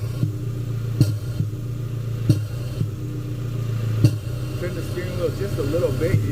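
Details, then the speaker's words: Ford Ranger idling while steering wheel is turned slightly: sharp irregular clunks; first thought to be a body mount, then traced to the intake. "so I got this Ford Ranger and when we turn the steering wheel a little bit it's clunking sounded like a body mount or something"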